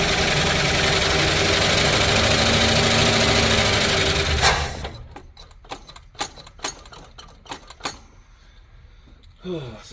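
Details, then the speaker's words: 1972 Plymouth Fury I, long neglected, carb float bowl primed by hand: engine runs rough a few seconds then dies abruptly leaving clanks; owner suspects clogged fuel supply not picking up gas, unconfirmed. "Doesn't seem to be picking up gas."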